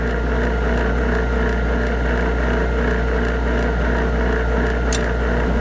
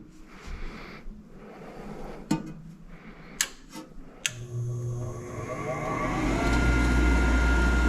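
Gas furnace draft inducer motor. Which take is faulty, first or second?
first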